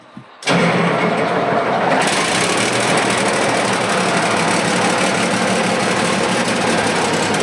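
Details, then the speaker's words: Diesel farm machine with the muffler's flexible exhaust tube broken (stainless replacement tube ordered), jump-started, cranks and catches then settles into a loud, raspy, hissing idle, smoky around the engine; exhaust leak. "man or to the the uh Muffler is broke I got a new tube ordered it's stainless steel we'll replace that flexible tube but right now it's just going to be a little smoky mess around the engine which is fine but yeah sounds a little weird with that thing going P"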